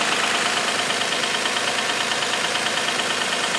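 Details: Infiniti G35 idling after sitting about a week: loud knocking at startup subsided to a steady light tap about three per second; owner fears oil consumption issue but passed the oil consumption test twice, belts ruled out.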